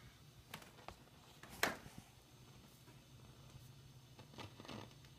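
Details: Fender Deluxe Reverb reissue tube amp idling: irregular pops and crackles over a low steady hum, intermittent, unaffected by the volume setting.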